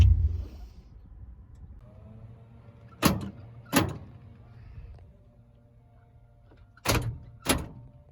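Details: 1986 Chevrolet C10 stepside after replacing a door lock actuator and repairing one cut and two broken wires in the cab-to-door crossover: two pairs of quick, crisp clunks as the locks cycle, no buzzing or hesitation; working properly.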